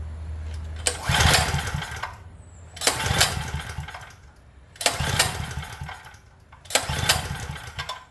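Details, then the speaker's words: Craftsman generator with a compression tester fitted: four recoil pulls spin the engine too freely and it never catches. The gauge holds at under 50, so the gauge is not leaking. Low compression; the valves are to be checked next. "That's uh not good. I don't know if you can see that, but there's not even 50. And it's you can tell that it's not the gauge cuz it's holding."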